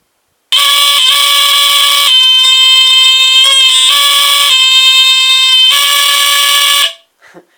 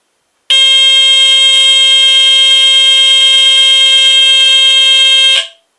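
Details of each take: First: Vintage GE Home Sentry 8202-001 120VAC hardwired smoke detector tested with cover off: loud shrill alarm tone breaks off unevenly and shifts pitch instead of a steady pattern; seems not to like testing without the cover. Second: GE Home Sentry 8202-001 120VAC hardwired vintage smoke detector test: piercing continuous high squeal for about five seconds then clean cutoff; sounds like a TC49A but without its modulation, horn possibly rectified; alarm works properly.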